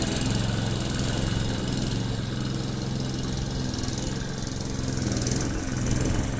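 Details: Briggs & Stratton Quantum engine on a Clipper lawn mower after spark plug work (previously started but wouldn't keep running after winter): steady low thrum cutting grass, slight dips under load; normal running under load.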